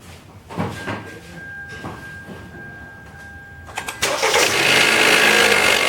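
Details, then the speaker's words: 2013 Kia Rio started up: a few quiet thumps and a chime, then a harsh, rattly, hissing idle; noise blamed on the alternator, which was replaced. "got a 2013 Kia Rio alternators raising cane on it which I think it started at we're going to check it out"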